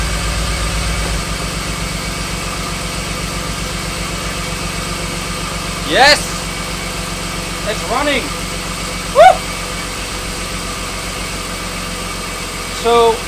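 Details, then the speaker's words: BMW E36 323i M52B25 first start after fitting an M50 intake manifold, not started for a while and warming up: steady even idle, not running rough, sounding a little different with louder intake rush as it sucks in more air; normal idle. "it is running it is not uh running rough or anything uh it sounded a little bit different than usual you can hear it sucking more air in"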